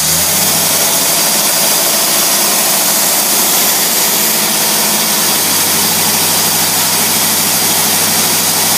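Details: Carbureted engine, fuel pressure about 3–4 lb, vacuum port capped (zero vacuum for brake booster): steady, even idle with smooth hiss over soft low hum, no misses or knocks; healthy.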